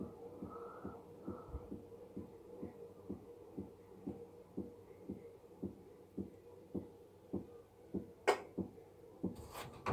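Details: Electrolux washing machine, two months old, during spin: dull, regular thumps about once per drum turn over a quiet hum; service says it is normal, the owner believes it is not, and the source is unknown.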